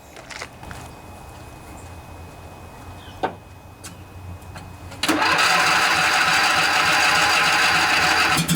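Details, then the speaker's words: John Deere LA145 riding mower, 48-inch deck, after deck bearing replacement, blades engaged: quiet start then a steady, even hum with no grinding or rumble; much quieter than before, deck sounds normal. "well I think that was a quite a bit quieter it's now I don't really hear any abnormal noises so I think we're good folks"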